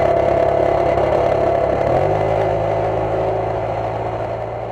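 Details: Jeep idles steadily with a loose, tinny exhaust rattle about four times a second. Owner suspects something broken or loose inside the muffler, and the fix was hammering the muffler to deform it so loose parts can't rattle.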